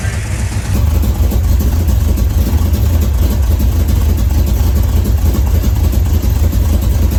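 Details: 1981 Chevrolet Camaro Z28 V8 after 15 years dormant, restored with new pushrods and fresh oil, throttle pedal hooked up: deep, steady rumble with an even low beat, no knocks or misses; runs healthy.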